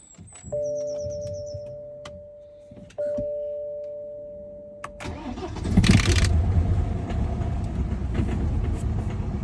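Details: BMW 1 Series N47 diesel on a cold start: two warning chimes, then the engine cranks and catches and settles into a low, rough, uneven cold idle.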